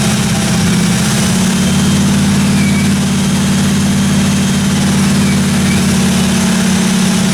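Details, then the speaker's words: 1957 Chevy 210 project car, carbureted engine idling during roughly 20-minute cam break-in run: smooth, steady low rumble at constant idle, no ticking or tapping from the top end or valve train; normal running. "uh sounded good I ran it for about 20 minutes got the cam broken everything sounded good in the the valve train"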